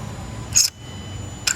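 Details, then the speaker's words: 2016 Hyundai Elantra with check engine light for VCM motor code, engine off, ignition on, intake VCM actuator motor powered manually: two short sharp high-pitched squeaks; suspected bad bearing, imbalance or flap, unconfirmed. "That's the problem right there, guys. See, that sound bad. Squeaking. Sound like the bearing or something, or the actuator motor shaking, or it's not balanced, something, or maybe the flopper is bad."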